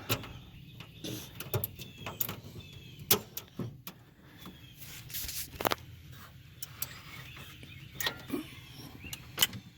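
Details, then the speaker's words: EZ GO electric golf cart that will not go, key on with solenoid jumped: sharp scattered solenoid clicks, actuating, but no motor sound follows. "You can hear the solenoid clicking. That clicking is the solenoid. So it is actuating."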